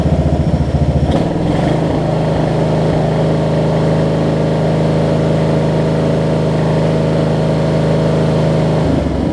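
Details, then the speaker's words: Wizard (Craftsman-type) riding mower after primer and a little gas: small engine chugs steadily but unevenly with a sharp pop near the start. It is backfiring, also when shut off; cause unclear. "the brawl the problem is the backfire when I turned it off either how about that"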